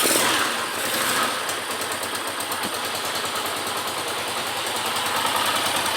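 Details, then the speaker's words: Around 2002–2003 single-cylinder motorcycle after repair of a strange engine noise, suspected bearings, idles steadily with even exhaust pulses and no knock or rattle. "aí ó terminou o barulho"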